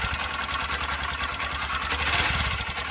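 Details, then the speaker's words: Honda Shine 125 BS6 with an engine noise complaint and oil leaks: fast, uneven ticking chatter over a steady idle thump. The noise comes mainly from the head and cylinder kit; the rocker must be replaced and the camshaft will be checked. "ஏன்னா அந்த sound மெயினா வந்து பார்த்தீங்கன்னா head cylinder kit எல்லாத்துல இருந்து தான் வருது"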